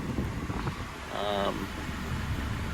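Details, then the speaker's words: Acura TSX (CL9) with DC Sport 4-2-1 header, idling with AC on: steady low hum, no rattle or buzz from underneath; previously suspected header vibration absent, owner attributes vibration to AC compressor kicking on. Normal idle. "let's try it out sounds smooth how smooth smooth that's what it was"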